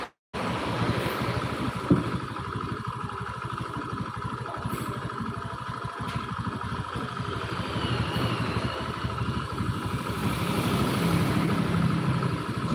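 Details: Honda Beat scooter idling evenly, rising slightly, with a steady beat and no knocking or rattle from the bottom end; sounds healthy.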